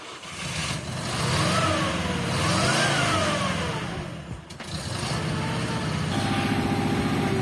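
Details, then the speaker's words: ZAZ 968M Zaporozhets driving after a Lada 2109 front disc brake conversion: repetitive knock about four per second under engine rise and fall, as the drive shaft strikes the suspension arm because it sits too deep; a machined spacer was ordered to push it out. "Turns out the drive shafts hitting the suspension arm. It's sitting too deep."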